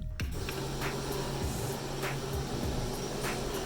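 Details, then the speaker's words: Chamberlain 995XD5 screw drive garage door opener, test run without door attached after inner slide replacement: even, steady motor hum, no grinding, running back then down and stopping near down position; normal operation. "Without hooking the door up first, I like to run the machine back and then down, making sure that everything's working good and stopping somewhat close to the down."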